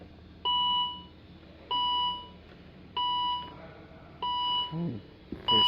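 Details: 2012 Volvo XC60 with no crank, no start: two-tone dash chimes repeat about every 1.2 s, five times, over a quiet background. No communication with the engine or transmission modules, and a new key battery changed nothing.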